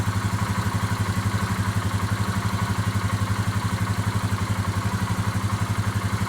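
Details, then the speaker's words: 2018 Polaris Sportsman ACE 570 single after a full rebuild plus a new timing chain and tensioner, test run with no coolant yet: even, steady idle thump with no clatter, much quieter than the earlier startup noise. "and it sounds a lot quieter I think it's running pretty good that's pretty good"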